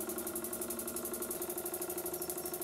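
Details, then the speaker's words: Burnac Vulcan model steam engine on live steam, methylated-spirits burner, boiler half full, engine freshly oiled: quick, even, steady chuffing and a smooth run, though a problem still needs addressing. "I'm going to stop talking now to let you hear the sound of the engine"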